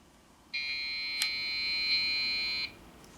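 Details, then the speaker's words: Dell OptiPlex GX520 desktop PC speaker gives a long shrill beep as part of a 3-4 beep code, looked up as a memory fault after RAM was reseated; the memory was reseated again. "oh no beeping oh i spoke too soon three and four i don't know what that means that speaker sounds horrible"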